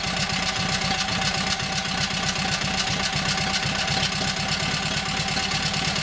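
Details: Kohler KT17 twin, first start after governor rebuild: quick, fairly even idle patter of about four pulses a second, smooth, no knock. Oil pressure 50, governor pulls throttle back, timing good; carburetor needs tweaking.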